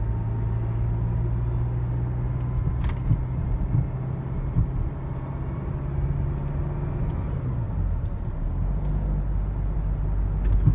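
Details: 2005 Renault Vel Satis 2.2 dCi Initiale Paris, over 380,000 km, driving: scattered dull knocks from rear suspension over bumps under road rumble, before the owner's fix.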